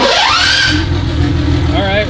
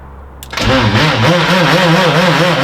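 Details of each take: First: BMW E30 turbo M20 stroker (2.7L 325e block, 325i head, Schrick 284 cam, GT3582 turbo), rebuilt engine: starter whirs rising, engine catches and settles into a steady quiet even idle; normal start. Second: Turbo M20 stroker BMW E30, 2.7L 325e block with 325i head, Schrick 284 cam, GT3582 turbo, first start: engine catches with a wavering, warbling tone over rough idle; suspected starter or flywheel noise, then quiet.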